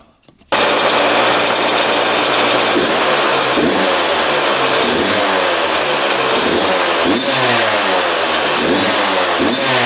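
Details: 2001 Yamaha YZ125 two-stroke, first start after fresh top-end rebuild, new pipe and cleaned carb: loud buzzing in repeated rising and falling surges, never settling low; high idle.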